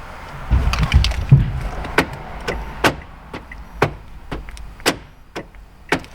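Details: 2011 Kia Sorento LX after remote relearn with scan tool: crisp, quick lock clunks with clean clicks, each firing promptly on command; power door locks working normally.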